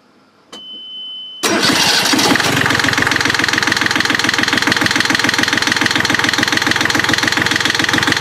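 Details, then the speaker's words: Yanmar 3GM30F marine diesel, first start after gear case cover gasket replacement and reassembly with fuel lines bled: short crank, catches at once into an even, steady idle clatter with no misses; normal. "okay let's start it up and run it until the water is coming out so then we'll know that all that's good yep it should fire pretty normally"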